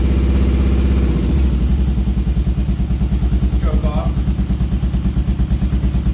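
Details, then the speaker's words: Kawasaki KLR650 single after carb cleaning, pilot/fuel mixture screw turned out to 2.5 turns; after a quick blip it idles steadily with crisp, evenly spaced thumps, no misses or popping, now revs; normal idle. "Rev it, but sounds pretty good."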